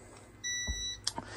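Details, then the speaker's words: Trailer 690 Ah lead-acid 12 V battery bank at 10.6–10.7 V: the inverter gives a steady half-second high beep warning of low battery voltage, just before its automatic shutoff. "so you can hear my my inverter beeping at me so we're getting down yeah we're just going to shut off here in a second"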